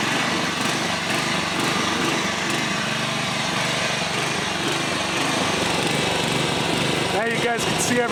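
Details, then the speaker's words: Old John Deere 14SB push mower, trash find, rope instead of missing recoil, carb only removed and inspected, at half throttle: ragged uneven beat instead of a steady drone; runs rough, owner thinks the carburetor needs a rebuild. "so the carb more than likely needs to be rebuilt that doesn't surprise me"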